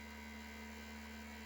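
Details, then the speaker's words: Maxinter PLUS-10AT battery charger powered on for testing: steady, low electrical-sounding hum from its cooling fan. A broken impeller was confirmed on disassembly and the fan needs replacing. "Так проверим на работоспособность понятно здесь скорее всего крыльчатка сломана"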